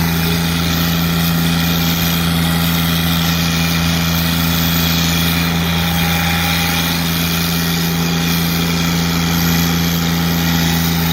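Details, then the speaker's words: Kubota GR2110 diesel mower after a turbo install, turbo clocked and wastegate actuator arm modified, heard while driving: steady low drone with a faint high whistle rising and falling; turbo spooling normally. "You can hear the turbo spooling. It works pretty good."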